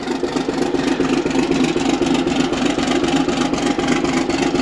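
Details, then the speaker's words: Old excavator abandoned for years, finally started by jumping with a screwdriver; big diesel running steady at about four beats a second, no misses, knocks or hunting, healthy idle. "that's pretty impressive right there well it took three people to get it started can you believe that"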